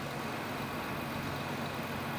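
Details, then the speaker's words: 2001 Ford Ranger 3.0 junkyard engine, 260,000 mi truck, after fan clutch replacement, cold engine: a steady, even hum with no loud fan roar, though an exhaust leak is now audible. Normal idle. "she doesn't sound like she's got a super blower on her well that's good"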